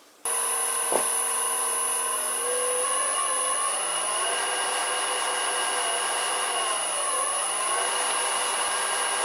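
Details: Vintage Karger lathe motor on new Chinese AT1-0750X VFD, maxing out at 65 Hz: steady whine climbs slightly then holds flat at top speed; sounds normal.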